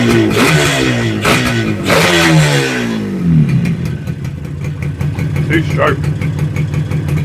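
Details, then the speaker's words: Yamaha RD250 two-stroke twin, restarted after long storage, first found running on only one cylinder; a crisp rev settles into a rapid ring-ding idle, sounding healthy. "got to love the sound of a two-stroke twin"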